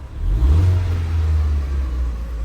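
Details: Rebuilt wrecked Ford Fiesta hatchback (2011-2019), 86,000 miles, after its first start: deep, smooth rev climbing and easing back evenly, no knocks, rattles or misfires; engine sounds healthy.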